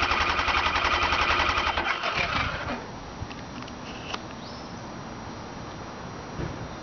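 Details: 2002 Kawasaki Ninja ZX-9R: rapid, even starter chatter for about two seconds then drops off with no firing; cranks but won't start.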